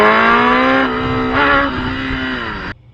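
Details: Gen 1 Kawasaki ZX10R before repair: at full throttle the revs sag and pick back up twice, then cut off abruptly, randomly popping back in. The fuel pump sock is the first suspect. Mid-range power cut, suspected fuel starvation.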